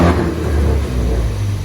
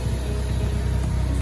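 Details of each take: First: Mk3 Ford Focus ST revving with an uneven, stumbling beat of about two pulses a second. It suddenly started sputtering and cylinder 4 is dead; the engine is considered blown. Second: Ford Focus ST turbo petrol, stock wastegate and catback exhaust, warming up the morning of a hybrid turbo install: steady low idle with an even, slightly lumpy pulse and no knocks or ticks; normal cold warm-up.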